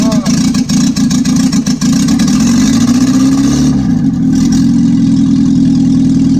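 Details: 1955 Morris Minor with a freshly installed engine and gearbox, end of day one: engine runs steadily with an even low beat and a brief rev rise, catching cleanly, healthy; car not yet driving.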